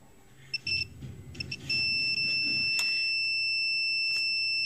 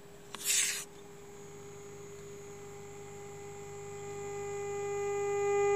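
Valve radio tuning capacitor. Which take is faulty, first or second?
first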